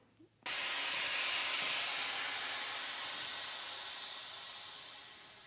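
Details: Harvest Right freeze dryer after vacuum-sealing mason jars, pump off and valve opened: sudden loud hiss easing off over five seconds as air rushes back into the chamber; normal.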